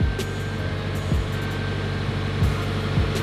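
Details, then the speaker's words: Subaru WRX after installing a DW65c fuel pump and COBB Flex Fuel kit, left idling until the idle came back down: a steady, even idle with no misses, knocks or surging. The Accessport showed no issues; normal idle. "cool so i just let it idle for a while until it went back down and i just watched the access port didn't have any issues everything looks good"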